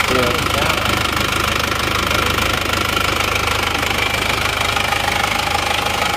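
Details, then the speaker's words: Isuzu Panther automatic diesel brought in for heavy blow-by: even idle with no miss, but a heavy breathy chuffing on every beat and pressurized smoke. Compression leaks past the cylinder liners, judged badly worn (barrel-shaped). "jadi suara mesinnya seperti itu ya sebenarnya rata maksudnya rata itu dia tidak pincang tapi ngasap bocoran kompresinya itu ada lumayan pasti linernya sudah gentong kalau seperti ini"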